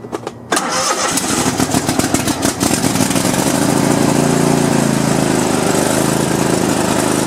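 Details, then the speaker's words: Cub Cadet LT1050 lawn tractor, Kohler 25–26 hp twin, 138 hours, burning oil, cold start on choke; loud, uneven running with irregular exhaust pops and white smoke puff; owner hopes not piston rings, cause unconfirmed. "see how loud that sound of the gun is definitely sounds like some popping doesn't it and uh you see all the white smoke that puff of white smoke when i first cranked it up"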